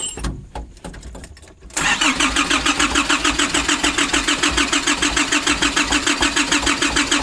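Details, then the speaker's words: 2005 Nissan Urvan diesel after sitting for years, with new oil, filter, fuel lines from tank to engine, battery, and a fixed diesel pump, cranked after priming the filter; it catches and settles into a steady, even diesel clatter at idle; normal start and idle. "Okay, checking again. So now it's uh starting coming back."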